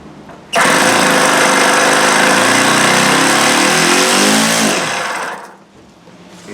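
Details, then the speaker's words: OS FS-120S E Surpass four-stroke RC engine, 10+ years old and unrun, choke closed, throttle fully open, very low compression: harsh uneven buzz surging and fading with gritty scrape; internal grinding, cause unknown, possibly timing, full disassembly needed. "Something just doesn't even sound right in there at all. It sounds like there's something grinding."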